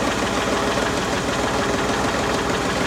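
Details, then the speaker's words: Old Mercury Ford 260 V8 with new lifters, timing about 60 degrees advanced, carburetor untuned: busy light lifter tapping over a rough uneven idle; tightening a loose one helps a little, valve adjustment needed. "That's loose. Let's tighten this one up here a little bit. Sounds a little better, not great, but"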